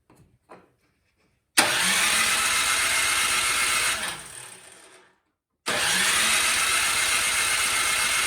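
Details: Craftsman snowblower that won't start: two bursts of cranking that wind down without firing; spark plug gap later found huge but spark present, suspected fuel not getting through carburetor.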